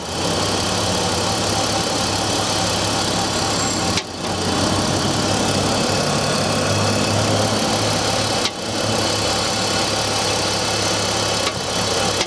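Cold inline-six idling with a fast light ticking knock riding over the engine note, steady with no rev change; a cold-start knock, source unclear.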